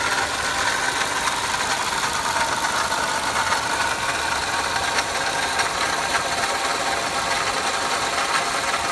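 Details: 2005 Pontiac Vibe / Toyota Matrix 1ZZ-FE engine at idle: steady hissy whir with a faint high whine, unchanging; confirmed as worn water pump bearing noise.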